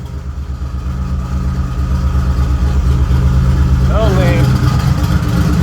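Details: Turbo Nissan Z31, earlier clip before the new exhaust: deep, loud, even exhaust pulse at idle that swells slightly and holds steady. Healthy normal idle.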